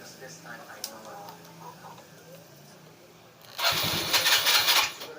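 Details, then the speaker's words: Yamaha Mio Sporty scooter, carburetor recently cleaned, hard starting: about a second of harsh, ragged cranking that never catches and has to be forced; traced to an air leak at the carburetor intake hose, fix is replacing the leaking hoses. "Pakita ko sa inyo, hard starting siya."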